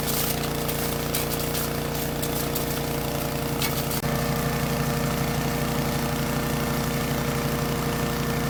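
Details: Troy-Bilt chipper shredder model 24A-414B711, repaired with a new carburetor fuel line fitting and fresh oil, chewing through hard dried sumac branches; steady, even engine drone holding speed with no misses or knocks. Normal running under load.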